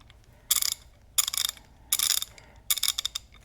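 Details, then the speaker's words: Craftsman Gen 4 hand ratchet, not yet refurbished, being swung: four bursts of coarse, rasping, gritty clicks rather than crisp ones; a rough, grinding ratchet action, unlike a cleaned and lubed one that is almost silent. "you can hear that, sounds pretty grinding."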